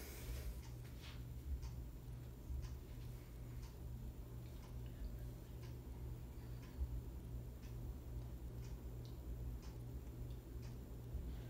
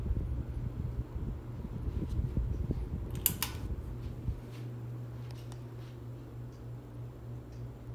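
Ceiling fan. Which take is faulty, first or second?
first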